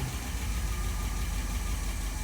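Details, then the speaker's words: Cold start after rebuilding a Holley 1273-1 carburetor: steady low idle rumble, fairly even with a faint light clatter underneath; idles smoothly and goes into gear, carb running well. "And that's idle. And I can put it right into gear. So, very happy with the carb rebuild."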